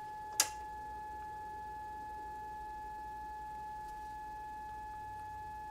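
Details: Kenwood TS-440S ham radio: a thin, steady tone near 850 Hz drones without a break after a click. At first a power supply whine was suspected, but it proved to be the CW sidetone running because the key was shorted.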